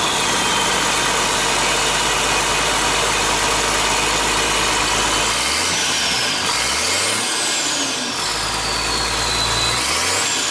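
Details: International 7100 with DT466 diesel, first start after in-frame overhaul (fresh head, liners, pistons, rod and main bearings, radiator): steady, even idle with a raspy exhaust note and some whistling on top; normal idle.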